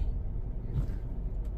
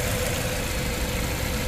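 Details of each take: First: CX5 with a check engine light for cylinder 2 misfire and system too lean bank 1, after swapping cylinder 2 and 3 parts, stopped at idle: a short stretch of low, even idle rumble with no stumbles or misses, now running steadily. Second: Petrol engine idling with an uneven, stumbling low thump and heavy shaking after injectors 2 and 3 were serviced for cylinder 2 misfire and bank 1 lean codes; check engine now off but still misfiring; compression test passed.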